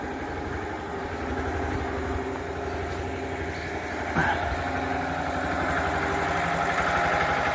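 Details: Lister diesel engine bolted onto a concrete mixer frame, started and running; even, slow thumping at about four beats a second holding a steady speed; running nicely.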